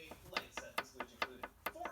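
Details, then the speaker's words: Engine bottom end with oil pan removed, connecting rod rocked by hand: sharp metallic clicks four or five a second; owner suspects rod play is the source of the engine rattle, other rods sound the same; unconfirmed. "all right guys here is the bottom of the engine with the pan out and I think I found the source of the rattle here's here's our main bearing caps here's one of the connecting rods"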